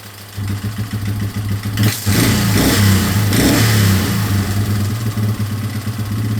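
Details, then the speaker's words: 2003 Yamaha Wolverine quad with fuel tank refitted and no longer leaking after fuel-leak repairs: steady low single-cylinder thrum picks up cleanly on a brief throttle blip and settles back; runs smoothly. "So I'm gonna make sure it runs with the tank and everything on, and then if it does, then I'll throw everything else back on and hopefully go for a little ride. So. Runs pretty good."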